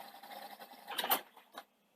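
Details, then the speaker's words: Sanyo VTC-M10 Betamax deck with worn belts winding a hard-to-wind tape: uneven, fluttering whirr ending in clunks, as the idlers struggle and slip. "at least it yeah you can hear the idlers struggling but like i say this tape is is quite hard work for a machine at the best of times"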